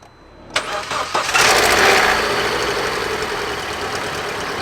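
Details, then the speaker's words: Vauxhall Astra after new spark plugs and O2 sensor replacement: engine cranks, catches and settles into a steady even idle, much quieter than before, slight belt squeal; engine running smoothly. "that is way quieter oh my God what right I'm not sure why but you can definitely hear on camera how much quieter the engine running there's a little bit of belt squeal but the actual engine seems to be running sweet"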